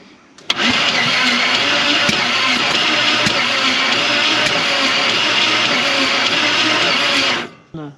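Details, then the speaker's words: Chevy 350 V8 in a 4x4 Ford Ranchero parked 30+ years, head bolts later found loose: cranking engine barely catches and gives a harsh hissing rush instead of firm beats; compression blowing out past the cylinder heads. "that's trying to run it's just blowing places that probably doesn't appear it"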